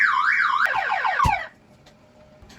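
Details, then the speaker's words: 1992 Porsche 964 Turbo with 26,000 original miles and transport damage to the passenger side: the alarm tripped when the door was unlocked before a start attempt on fresh gas, giving a loud warbling siren that sweeps up and down, then fast chirps, then cuts off. "So, fellas, the alarm starts. Please. Oh, the alarm starts. Wee, wee, wee, wee, pa, pa, pa, pa."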